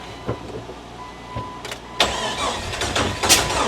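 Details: 2002 Jeep Wrangler 4.0 liter, no exhaust past the resonator or muffler, sensor just refitted: uneven cranking with sharp pops every second or so and no clean catch; timing off, firing back through the intake from a bad crank sensor.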